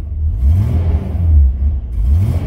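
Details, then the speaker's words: 2003 Mitsubishi Pajero NP 3.8L V6 automatic, check engine light on, code P0100: revving rises and sags unevenly in surges rather than climbing cleanly; hesitation from faulty MAF sensor. "so this car had a problem is uh start in the car is a hesitation it's not idling keeping keep up"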